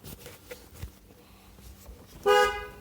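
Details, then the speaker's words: 2002 Suburban horn, dead until the horn contact was pushed in and held tight by hand: click, then a loud steady two-tone honk; horn works while held, so that connection is the fault. "I shoved the thing in there I'm just holding it with my hand real tight and now the horn does work"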